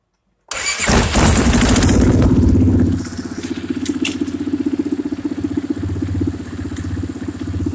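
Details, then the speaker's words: Polaris Sportsman that would not start, first start after a valve adjustment: engine catches with a loud burst, then a thumping idle with a regular bang about four times a second; source unknown. "I'd say it's running she's got some banging in there though whatever that is"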